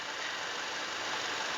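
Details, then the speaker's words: 2014 Toyota Innova G 2.0 petrol manual: starts on the first try and idles with a steady, even hum, no knocks, ticks or misses; the engine is dry with no leaks, a healthy idle. "Dengan suaranya. Wow, maknyus. Satu kali aja startnya langsung hidup, langsung nyala."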